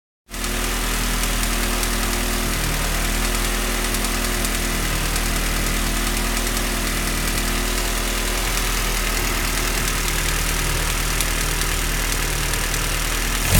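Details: Honda D16A9 petrol four-cylinder idling steadily with a light, fast ticking running over the low engine hum.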